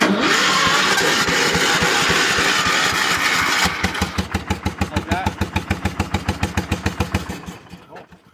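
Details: Cold start on choke with a brand-new carburetor fitted; engine catches quickly with a dense busy roar and some little pops, then settles into steady even pulses that fade out; clean healthy start.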